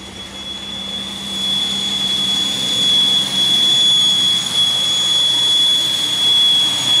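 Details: 2001 Pontiac Aztek just revived after sitting since February, heater on: steady piercing high whistle at idle holding pitch; misfire still reported, source unknown.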